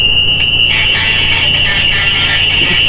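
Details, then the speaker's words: Westinghouse Portatape recorder being restored: loud, steady high-pitched squeal drowns out tape playback, music barely audible beneath. "you can tell the song through squeal but you can't listen to it has a death squir to it what I call that it'll kill your ears if you listen to it"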